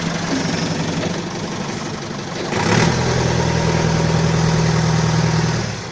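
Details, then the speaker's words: Balkancar diesel forklift after repair, with engine, clutch, brakes and running gear overhauled. The idle picks up briefly, then holds an even, regular beat with no knock; the engine sounds healthy. "Ну так живой, да, состояние? Я смотрю, вроде свеженький погрузчик. Так что еще послужит хозяину, ох, верой и правдой."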